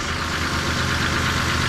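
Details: Buick Rendezvous after fitting a new, cleaned replacement part to fix a misfire from the old one sticking: steady even idle with smooth low rumble, no misses or stumbles; engine running normally.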